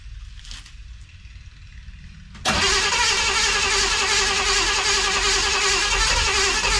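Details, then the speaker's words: 1963 Chevrolet Impala, restart after squirting gas in the carb and putting a charger on the battery; steady rapid cranking for several seconds without catching, firing less with each try; weak battery blamed, not confirmed. "You know, or not. Funny enough, it rained yesterday and it started up a lot easier than that. Alright, after trying to run it 2 or 3 times, it seemed like it was firing less and less."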